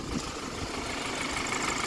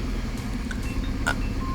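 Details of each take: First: Car (former taxi) with misfire, after replacing an ignition coil: steady, even idle with smooth low rumble, no stumble, miss or excessive shake, stable with AC on; misfire fixed, engine running healthy. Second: Ex-taxi petrol engine at idle after swapping a spark plug: lumpy, uneven rumble with the whole engine shaking, misfire persists; ignition coil or injector to be tested next.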